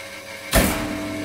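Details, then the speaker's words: 37kW star-delta starter demo on 4kW test motor: contactor clunks star to delta, then steady even hum as motor runs up smoothly; healthy start. "see the motor starts. Here, the star contactor pulling in and the main contactor, then the star contactor dropping out and the delta contactor pulling in, and the motor starts most smoothly."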